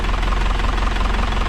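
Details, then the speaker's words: 2000 Isuzu NPR turbo diesel, sat about a year: after jiggling the key to free a sticky starter solenoid, it fires right up to a steady, even diesel idle with no smoke or odd noises; normal idle. "all right so the solenoid was a little sticky we jiggled this key back and forth a little bit and now it is wow fired right up that's crazy not smoking or making any weird noises"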